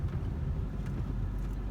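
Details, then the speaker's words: 1996 Ford Contour test drive in a parking lot after replacing a chipped rotor and a brake pad worn to bare metal: soft rolling rumble with no scraping or grinding, the earlier noise gone and the brakes working. "find out in the parking lot oh yeah noise is gone those appear to be working"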